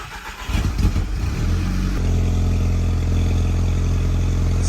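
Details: 2012 VW Golf GTI Mk6 turbo, just fitted with new catted downpipe and gasket: short crank, catches cleanly, settles into steady even idle with smooth low rumble, no ticks or rattles; normal start and idle.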